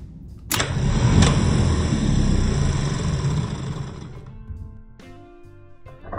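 Sharp clack as the solenoid pulls in, then a steady motor spin that winds down; starter engages and runs normally on the bench.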